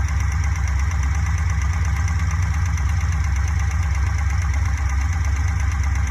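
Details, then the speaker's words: Fuel-injected Corvette V8 idling, heard with a modified cut-open valve cover; light, quick ticking over the low rumble, traced to cylinder number three, likely the exhaust valve with too much lash; to be adjusted using the intake-open exhaust-closed method. "now the ticking seems to come from over here number three exhauster intake i think the exhaust one is the problem"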